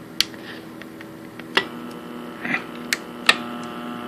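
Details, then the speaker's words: Atari PAT 9000 bench test fixture: a few sharp, crisp clicks over a steady electrical hum as the three-pole relays in the back that switch game power drop out when turned off; normal relay operation. "so if you hear that click so there's there's relays way back there and that's what's actually um changing the power"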